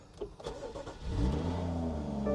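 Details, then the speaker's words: 2017 BMW X5, about 40,000 miles, service due in 3,100 miles, started on a cold morning: brief crank, a clean catch with a quick rev rise, then a smooth steady idle; sounds good, a normal healthy start. "she has 40,000 M on her for 2017 so she's 7 years old that seems to be pretty low mileage she sounds good too"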